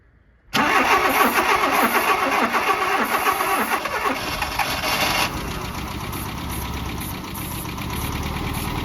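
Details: 1988 Mazda B2200 that sat over a decade, cranked with a carburetor fitted, the ignition reconnected and a charged battery. The starter churns steadily at about three beats a second while ragged firing sputters and fades. It cranks long and nearly catches but won't run.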